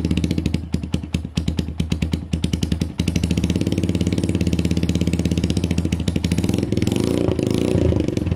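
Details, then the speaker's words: SYM XS 125 scooter starting on a new up-jetted carb replacing a gummed-up one; uneven popping as it catches, then a quick even patter settling into a steady idle; runs and rides fine, idle slightly less smooth, probably needs a service. "runs rides idle is great probably needs a bit of a service"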